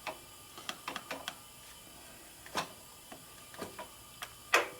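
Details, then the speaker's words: 1972 Harley XLCH Sportster ironhead, engine off, during clutch adjustment: sharp, irregular metallic clicks from the rear of the primary as the lever is worked, at the start of the stroke; something misaligned, unconfirmed. "making a little bit of clicking noise here in the back of the primering the clutch is clicking every now and then you hear it you don't want to be making clicking"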